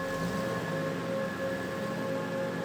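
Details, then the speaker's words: 1989 Toyota pickup with a 1UZ V8 swap, cold start at about -7°C after new injectors and plugs, battery disconnected so the ECM relearns. Slightly rough at first, then an even, steady idle hum with no misses. Normal cold idle. "you know she was a little bit rough right off the get-go there but as i said it is cold and the ecm is now relearning the new fuel setup um it seems to have smoothed out and seems to be running great now"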